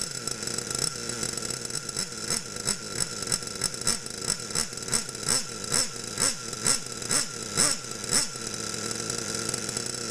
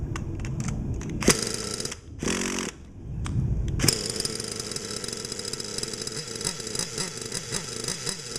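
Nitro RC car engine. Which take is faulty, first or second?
second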